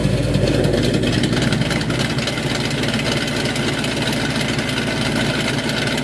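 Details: 1969 Dodge Dart 440 V8, TTI headers, electric exhaust cutouts opened, heard from a distance: loud lumpy even burble with quick throttle blips, no misses or knocks; healthy engine.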